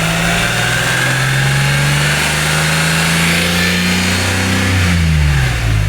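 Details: Mitsubishi Mirage repaired after a no-start: engine catches and holds a steady idle, then pitch climbs and falls cleanly with each throttle blip; normal running.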